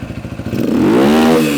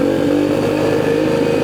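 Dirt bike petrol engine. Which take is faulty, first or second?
second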